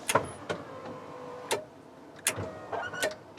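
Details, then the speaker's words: 1st generation Toyota 4Runner tailgate window operated via added rear switch wired to relay module pins 4 and 5 with ground: sharp relay clicks inside the module at uneven intervals with faint motor hum; circuit working normally. "And you can hear the relays clicking inside the module there."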